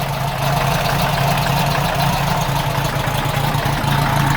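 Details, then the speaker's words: VW Type 4 air-cooled engine with IDF carbs, reinstalled and started in neutral: oil and generator lights went out and there are no oil filter leaks. Even, steady idle with no knocking or misfire. "Engine sounds great. Perfect."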